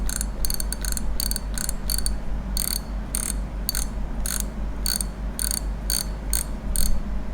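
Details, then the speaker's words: Daiwa Revros LT 4000/6000H (2019-2020) spinning reel after modifying the too-quiet drag clicker: crisp evenly spaced ticks about two a second as line pulls; clearer than before but still not loud or ringing. "ชัดขึ้นมานิดหน่อยนะครับแต่ไม่ถึงกับว่าดังก้องกังวานนะครับแต่ว่ายังดีกว่าที่ไม่ได้ยินเหมือนเดิมนะครับ"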